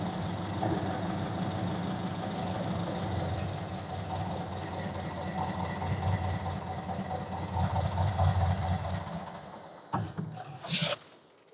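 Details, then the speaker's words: Ford Model A after resetting the ignition timing; quiet, fairly even idle with soft steady beat, no knock or miss. Normal idle, timing sounds right. "I think I can live with that I don't know if you could hear it at all through the um microphone but they sounded pretty good"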